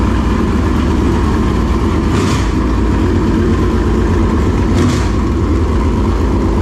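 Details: Dirt late model race car engine giving a deep, steady rumble with no misses, stumbles or stray knocks, checked after a frayed, rubbing belt was found; sounds good, never missed a beat.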